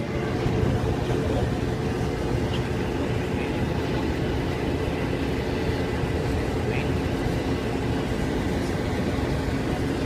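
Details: Whirlpool dryer that was not heating, after replacing the burnt wire at the thermal cutoff: steady low drum rumble with a faint even motor hum, no scraping or thumping; the dryer is running normally.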